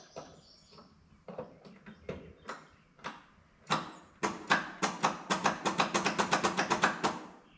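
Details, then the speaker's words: Old Cub Cadet riding mower, sat for years in a barn, no starting spray used, ignition on, oil light off: uneven pops quickening to about four a second while cranking, catching on some strokes but not yet running. "come on oil light turned off oh it almost went oh it it's trying to oh it's so close"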